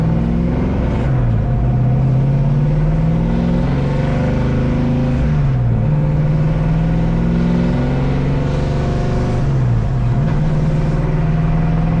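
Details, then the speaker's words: Grey Ghost car on test drive after rear-end work with fresh fluid: engine pulls through revs with brief dip and thump every few seconds as load changes; driveline clunk persists, repair didn't fix it, cause unconfirmed (transmission or binding suspected). "no still doing it that didn't fix the problem still doing it as you could hear on the video"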